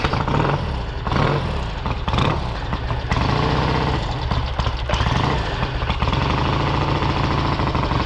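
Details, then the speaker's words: 1968 Triumph Bonneville 650 parallel twin cafe racer with twin carburettors, race mufflers, idle screw bumped up, not warmed up: one kick and it catches straight away, settling into a steady, even low idle with a firm exhaust beat; healthy cold start. "I guess it did start up first kick. I didn't even think about that, but you do the procedure right, and most of these bikes will. It was not warmed up."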